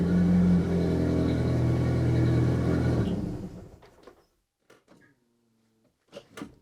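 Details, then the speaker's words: Saab 900 Turbo with K-jet (continuous injection) fuel system running again after K-jet repair; engine has many small vacuum leaks still to fix. Even, steady hum for about three seconds with no stumbles, then shut off and winds down cleanly; normal running. "So the Saab is running again. There's still so much work needed to be done on that engine."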